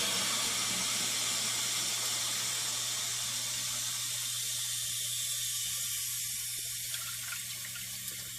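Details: 1958 Canadian Standard Cadet toilet, just hooked up, tank refilling through its original American Standard fill valve: a steady soft hiss with a faint low hum and no squeal or chatter, a healthy fill valve.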